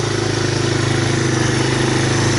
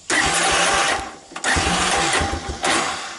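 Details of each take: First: 1985 Honda ATC250ES Big Red, after cleaning the carburetor and a clogged jet, choke off and warming up: even single-cylinder thumping at steady idle with no stumbling or surging; normal idle, the previous stalling at idle fixed. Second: 1985 Honda ATC250ES Big Red, carburetor already rebuilt, petcock and filters replaced: starts only sometimes, runs rich on choke, and dies off choke even when warm; bursts and stalls, hard starting and stalling at idle, suspected carburetion.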